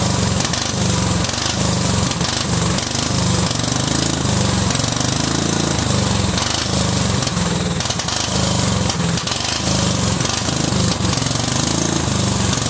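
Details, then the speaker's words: Cub Cadet 2130 lawn tractor, just started: engine stumbles and surges, beat hunting up and down; fuel system full of water and rust, owner suspects water in the carb bowl, plans to drain it. "let's see if we can drain this bowl over here and get some of the crap out of it I think that's probably why it's running like crap is because I think there's probably water down in the bowl"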